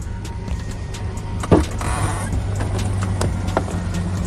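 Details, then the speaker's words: 2002 project truck (NBS) started after being completely dead and connected by cables: one sharp clack as the engine settles, which is the clutch engaging, then an even idle rumble; nothing wrong. "let's see that noise is the clutch"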